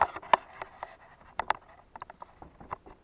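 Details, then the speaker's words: Honda VTR motorcycle front wheel rocked by hand; uneven light clunks and knocks with visible tire movement; the owner suspects the bearing play makes the bike steer left under throttle: worn front wheel bearings. "you hear that and can you see the tire moving so this thing has a play in the bearings"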